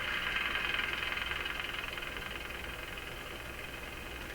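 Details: Radio IF alignment using a BK 3030 sweep generator and oscilloscope: a hissy rushing huff chuffs in and out two to three times a second, growing louder, suspected to be spurious signals from the signal generator.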